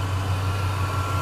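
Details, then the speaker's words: 2000 Chevy Silverado regular cab short bed, e-fan conversion with 2013 Escalade 6.2L fan assembly, tune setting corrected: low even idle hum with both fans running whisper quiet, unlike the super loud earlier fans; AC ice cold, normal. "is that crazy you can barely hear the fan the other ones I had on there it was like really like super loud"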